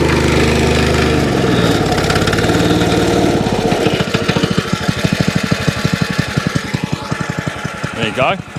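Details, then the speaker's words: Free curbside wacker plate engine, tank de-rusted with Evapo-Rust, not run for a while, started on choke; roars at first then settles to an even thump of three to four beats per second, ticks over lovely, normal running. "ticks over lovely when you get to blow a certain rev that it stops vibrating that sounds really good"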